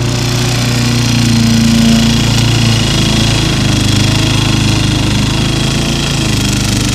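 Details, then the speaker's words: Repaired small single-cylinder lawnmower mulching with the top cover on, engine droning low and bogging. It is labouring because the grass is too tall and wet. Smoke comes from oil, and probably parts-washer residue, burning off. "The grass is too tall and too wet to be mulching, so that's why it's kind of like laboring."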